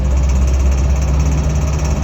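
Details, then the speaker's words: 1978 Land Rover Series 3 short wheelbase, restored: low rough engine note with awful knocking on acceleration, under load and also when revved out of gear; seemed down on power; cause unknown. "Okay guys, so I've just been driving with the Land Rover and I can hear this awful noise on acceleration. It's really horrible."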